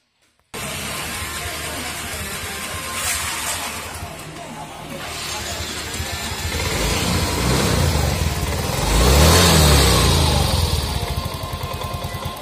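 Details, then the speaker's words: Yamaha Mio M3 scooter after repair of rough "jrek jrek" sewing-machine-like friction noise: engine settles into an even idle, revs up and back smoothly with no rattle or ticking; now quiet and smooth. "it's already quiet, guys, the voice was very rough, now it's smooth"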